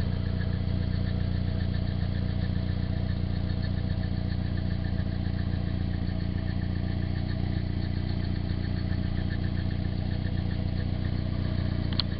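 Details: Nissan 240SX, stock engine with 160,000 miles, idling: faint, even rattle over the low engine note; owner unsure whether timing chain hitting the guide or water pump noise, unconfirmed.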